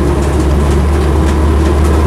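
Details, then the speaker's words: About 1974–75 Land Rover 88-inch Series III short-wheelbase petrol soft top on a road drive: deep, loud engine note pulling steadily at full throttle with no pinking or hesitation; normal full-throttle acceleration. "pinking or making any any hesitancy at all it's just getting on with it"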